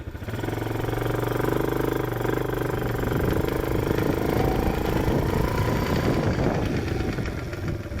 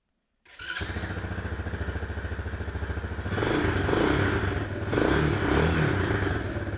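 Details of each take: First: Chinese ATV clicking rapidly and steadily over the engine drone only when driving forward, fine in reverse; owner suspects the transmission, cause unknown. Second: Chinese single-cylinder ATV with an unexplained clicking that occurs only in forward gear, heard on a ride while reversing: an even putt that picks up smoothly with throttle, with no clicking or knocking; it runs normally in this direction.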